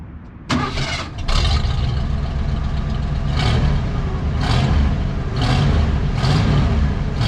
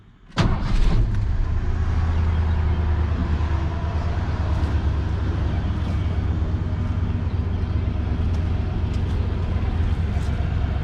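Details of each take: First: Old Ford F-150 V8, formerly seized engine: cranks and runs lumpy with uneven surges because the spark plug wires were in the wrong firing order; after swapping to 1-5-4-2-6-3-7-8 it runs halfway decent. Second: Old Ford F150 revived from a seized engine, after fuel treatment: starts cleanly and settles into a steady, even low rumble with no misses, knocks or smoke; running normally.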